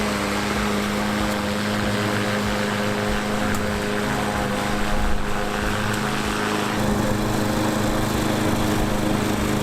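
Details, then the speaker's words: Free roadside walk-behind mower with a small single-cylinder engine, running after a basic tune-up and oil change (its "never change" oil was nearly empty): a steady, even drone with no misses or surges; the drive system works, normal running. "I guess I would call that a success with the free mower just did a few maintenance items really nothing too crazy here at all and seems to work the drive system works"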